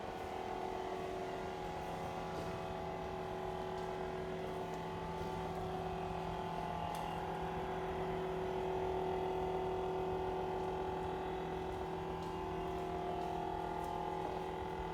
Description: Discovered loud noises from faulty fridge motor after tenant moved out.